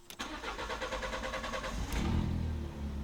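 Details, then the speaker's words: Fiat Bravo, first start after fuel pump replacement: about a second and a half of steady cranking before the engine catches and settles; slightly long start, normal with air still in the fuel line. "it's normal the first start, of course, because it's air. It's normal to take a little bit more."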